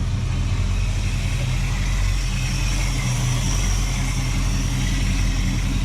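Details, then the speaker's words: 1987 El Camino SS V8, inherited and not started in 6 months, at a deep, steady, even idle with no misses or knocks; runs cool, slight blue smoke (owner suspects gas, rings need to wear in), oil pressure possibly low; sounds healthy. "But, uh, it sounds really good. She runs nice and cool."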